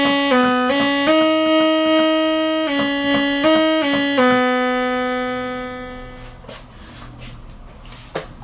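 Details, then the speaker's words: Micromoog monophonic synthesizer after repair (bad chip IC302 replaced, improperly connected audio ground and barely connected power cord fixed): clean steady notes stepping up and down, no crackle, hum, whine or dropouts; output normal. "so to sum it up i had an improperly connected audio ground i had the one bad chip and i had a power cord that was barely connected so all that stuff combined uh is now fixed"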